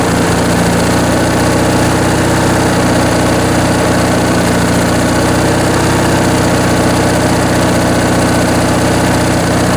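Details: Briggs & Stratton 19.5 hp opposed-twin riding-mower engine on a bench test after sitting in storage, with a rebuilt carb and stripped main jet removed: even, steady idle with a firm low drone and no stumbles; runs smoothly.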